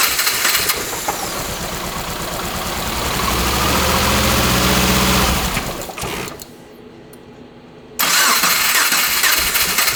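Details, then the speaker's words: Hand-built 2.5L swapped first-gen Subaru Crosstrek, cold, old injectors refitted: catches then runs lumpy with a stumbling beat near three a second and nearly dies; rough running, owner suspects fuel injectors. "This front one feels, yeah, they all kind of feel warm, but you saw it, like it was running pretty rough. But it honestly might be fuel injectors."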